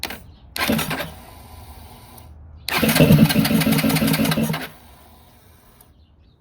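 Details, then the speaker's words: 2021 Yamaha XT250, 252 miles, sat since 2022 with new gas and battery; cranks but won't start, fired only on starting spray; two starter bursts, second briefly catching rough then dying; fuel pump suspected, fuel system to be checked. "I'm might have to go through the whole feing system I'm going start off by taking off the gas tank and checking out that fuel pump"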